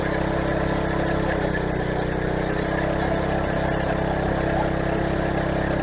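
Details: Craftsman garden tiller test run after replacing the old, tensionless drive belt through the pulleys and tensioner, belt tension handle engaged: steady, even engine drone at constant speed with no knocks, surges or slipping squeal. Normal running.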